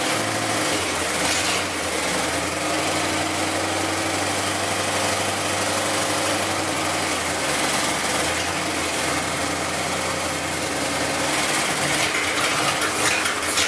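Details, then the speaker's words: Basket-case GMC V8 run after fixing the plug wires and fitting the correct carburetor gasket, on bad gas, warming up: steady even idle with a low smooth rumble and no misses or knocks; steam comes from the block. "that sounds better um all right it started and it kind of ran it didn't make a lot of noise"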